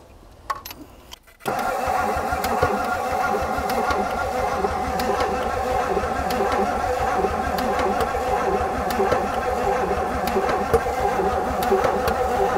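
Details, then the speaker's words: 1959 Edsel Corsair Ford V8 parked 40+ years, after oil in cylinders, new cap and spray starter fluid: steady starter cranking about two turns a second with no firing or catch; cranks but won't start, possibly flooded, one side ticking. "Man, it won't. - It's not even catching anymore."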